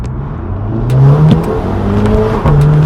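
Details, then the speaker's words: Audi TT after fitting a performance intake, on-road acceleration: engine pitch climbs steadily under throttle with clear intake whoosh and turbo "choo choo" sounds, no knocks or rattles; more engine noise, sounds better, normal. "Yeah, you can hear it. Yeah. Better. Wicked, yeah. Much better. Get some engine noise out of it."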